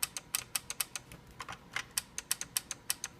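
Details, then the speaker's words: KitchenAid seven-speed mixer that quit working: repeated sharp dry relay clicks about every quarter second at power-on, and the motor never starts. Cause was a failed power-supply capacitor on the board. "Let's see what we get here. Just a nice clicking sound when I hit the power."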